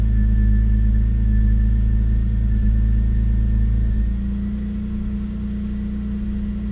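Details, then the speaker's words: BMW E93 528i, recently bought, cold engine warming toward temperature: low lumpy uneven idle settling lower and steadier after a few seconds, clearing quicker than before but still not idling happy; owner suspects idle air control valve or O2 sensor. "sounds like it's clearing up faster a little idle nope nope support local search hmm it is clearing up quicker than it used to it's not there yet"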